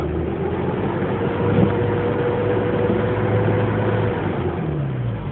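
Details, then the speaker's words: 1994 Mazda B2300 manual: loud steady howl from under the hood while rolling in neutral or with the clutch held in, quieting only near a complete stop; truck also accelerates on its own. "now it'll make that sound while I'm in neutral until I come to almost complete stop and then it quietens on its own"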